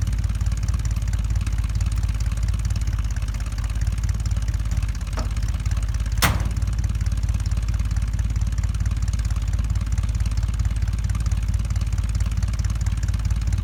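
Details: 1975 Ford F-100 V8 with 140,000 miles, abandoned 17 years, first start after revival work; steady, even idle with a deep, regular low thrum and no knocks or misses; normal idle.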